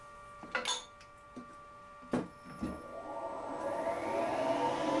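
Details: Light boring pass in the molten plastic lawn mower bearing seat, Wohlhaupter UPA5 head on a Thiel Duplex 158 mill, fixed diameter, quill auto feed 0.12 mm/rev: a few light taps, then a smooth, even cutting hiss builds and holds steady; clean cut.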